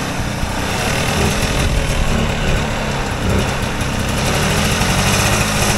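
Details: Vintage Polaris Colt single-cylinder two-stroke race sled after tune-ups, choke flipped, test run in snow: crisp, steady buzz with an even, quick beat and no misses; sounds much better than a week ago, running clean.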